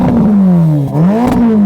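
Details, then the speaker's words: Ferrari Roma, 3.9 L twin-turbo V8, 620 hp, rear-wheel drive, revved at standstill: a deep, smooth V8 blips up and settles back twice with clean, even firing and no knocks or rattles; a healthy engine revving freely. "While loads of manufacturers have very muted engines with soft limiters and turbochargers just ruining the noise, not with a Ferrari. Go on, start it up. Oh yeah, let's have some revs."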